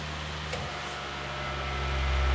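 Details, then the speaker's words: Fan motor (AC induction) running on a CyberPower consumer UPS's stepped-sine battery output: low steady hum swells louder as the fan slows; plugged back into wall power, the humming dies and the fan speeds up. "if you can hear me the fans starting on I'm pretty loudly it's slowed down a bit I'll plug it back in again notice that humming died almost instantly and the fan picked up"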